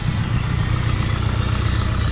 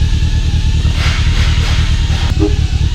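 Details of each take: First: Nissan 240SX with a built SR20DET during first start-up and break-in, after timing was adjusted: steady low idle with a deep, even rumble and no popping or backfire; it has calmed down into a normal idle. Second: Nissan 240SX with a built SR20DET at first start-up, oil pressure decent: loud deep idle surging and sagging instead of holding steady; bouncy rough idle, owner suspects the idle air adjustment needs setting.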